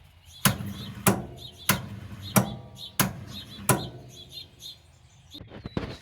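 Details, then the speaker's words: Ford Falcon with an old dead battery, jumped with an EverStart 1000 A pack: heavy, slow thumps about every 0.6 s with no firing; the pack is still full and owner suspects its cables are too small, as they get warm. "How are we on charge? We're still full. I think our problem is these cables. They're warm. I think they're just too small to do anything with a dead battery like that."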